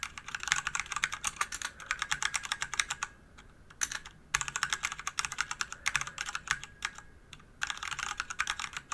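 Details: DIY DZ65RGB V2 hot-swap keyboard with Cherry red linear switches in an aluminium body of over 1 kg: quick, crisp keystroke bursts, clean and even; stabilized keys rattle and some spring ping is noted; normal typing sound.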